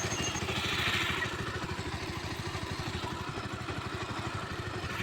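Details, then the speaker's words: Bajaj Pulsar 150 motorcycle, repaired some months earlier; customer reports a rattling noise when riding fast on the road, starting and gearing fine; single-cylinder running with loose, uneven fast ticking over the exhaust beat; source not yet found. "जब road पे भगाता है गाड़ी तो कड़कड़ाने की आवाज़ की समस्या आती है।"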